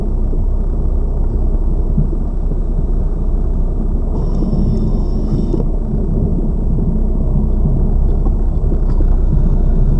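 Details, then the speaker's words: Lada Vesta Cross, left front SAAZ strut replaced under warranty the day before, dashcam aimed at the left strut mount while driving over bumps: only a steady low road rumble with no knocks or clunks; the new strut sounds quiet and normal. "Вот Эта стойка амортизатора у нас меняя получается менея вчера мне её заменили по гарантии и здесь звуки какие-то есть но они не сильные"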